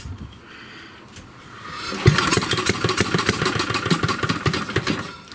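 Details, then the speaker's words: 1937 Briggs and Stratton Model A engine, start attempt with choke opened: catches and fires in quick uneven pops for a few seconds then dies; owner thinks it runs a little rich; brief uneven firing. "running a little rich i think so we're going to lean it out"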